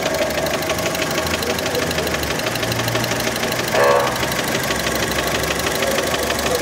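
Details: Fiat Panda engine, warmed up, idle: light, uneven ticking knock over the steady engine note; many suspect piston skirt (piston slap), not confirmed.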